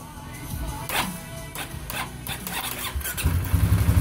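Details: 2015 Polaris Sportsman 570 after reinstalling the tested starter and fitting a new battery: a few scattered clicks, then the engine catches and settles into a quick, even thump; normal engine start.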